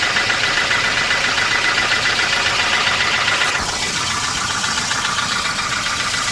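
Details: 1988 Volvo 240 GL at idle: even idle with a light, regular knock near four per second; owner suspects piston slap, and the engine otherwise runs fine.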